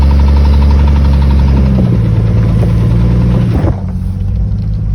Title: 97 XJ 4.0 clicking/ticking noise while accelerating